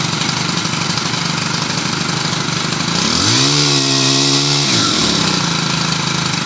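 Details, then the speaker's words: Stihl HL100 pole saw two-stroke after carburetor and fuel line replacement, warmed up: buzzy idle, slightly high, rises smoothly to a steady high rev and drops cleanly back; air bubbles cleared, running fine. "so all right so it really helps if you let it run for a little bit and warm up you got to get all the air bubbles out of the brand new carbs such like that but now it seems to be running fine idling a little high"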